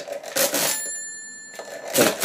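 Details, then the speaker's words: 1950s Thale mechanical calculator during division: crank clatter, then a clear bell ring as the subtraction overdraws below zero; overflow bell working normally. "I'm going to subtract until I hear the ring now you can hear I've heard the ring so I'm go forward one move to the left"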